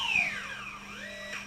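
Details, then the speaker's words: AquaRobotMan NEMO underwater ROV out of the water during setup, motors started by tapping the compass in the iPad app: thin high electronic whir sweeping up and down as the motors hunt and correct; normal thruster run. "Oh wow, okay, clicking on the compass. That started the motors, you hear them? Hear those motors?"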